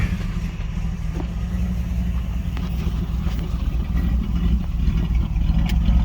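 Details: 1984 Chevrolet Monte Carlo, cold start after pumping and holding the gas pedal, with stalls before it caught. At the tailpipe, a low uneven exhaust rumble with irregular dropped puffs suggests a misfire. The cause is not confirmed.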